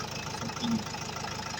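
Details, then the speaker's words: Opel Vivaro 2002 (stated as 2021 in speech) with Renault 1.9 L diesel, idling just after air flow meter replacement that cured it being stuck at 2000 rpm; even low clatter, no misses, owner hears it running much better: normal diesel idle. "Et là, à l'oreille, je sais que le camion tourne beaucoup mieux."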